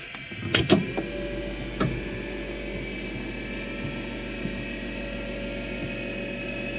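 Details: Warbird Corsair model flaps with new stronger linear actuator motor (4 in stroke, micro switch adjusted to 3 in) and larger linkage shafts; thin steady electric whir on momentary flap switch, no grinding or stalling; normal actuator motor running.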